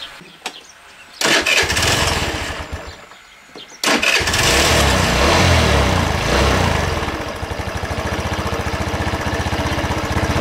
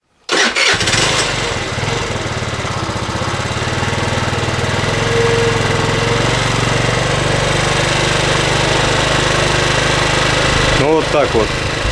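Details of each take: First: Racer Salut MT50QT-19b1 scooter with 139QMB engine, low on oil and smoking: it fires up and idles unevenly, speed drifting up and down, and won't hold a low idle. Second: 2008 Racer Salut MT50QT-19b scooter, 139QMB engine, after repair of no-start caused by valve problems and carburetor adjustment: starts after short crank, fairly steady even putter without misses; valves still tick slightly; idling normally.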